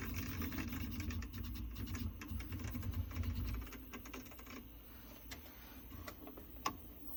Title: Prusa MK3s xaxis clicking noise